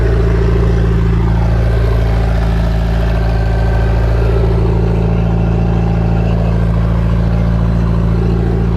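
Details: MerCruiser 3.0 boat engine idling after a cold post-winter start on garden-hose water, warming up so the oil drains well for an oil change. Steady low rumble with an even beat of about four per second, no knocks or misses: a healthy idle.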